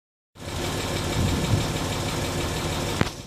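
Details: Land Rover Discovery 3 TDV6 2.7 diesel at idle: fast faint tick over the clatter, only at operating temperature, louder when slowing between 1500 and 1000 rpm; cause unknown.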